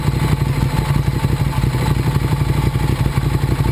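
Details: 2009 Ducati 848 after repairing a disconnected fuel pump hose, idling warm at 212°F after about 12 minutes of running. Steady, lumpy low throb with even pulses and no stumbles or rattles. No leaks; normal warm idle.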